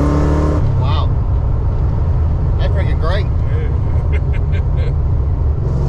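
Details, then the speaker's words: Tuned 331 stroker V8 in a GT, driven after a failed brand-new part; deep, steady rumble that stays even throughout, with no misfires or stumbling. "yeah yeah you tell it wasn't just a 302 with some heads on it this engine's smooth i mean it feels amazing"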